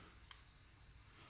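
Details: DJI Spark drone powered on with a fully charged battery while trying to pair the controller, whose light stays red: a brief faint blip, then a sudden steady high-pitched beep. Ordinary power-on tone.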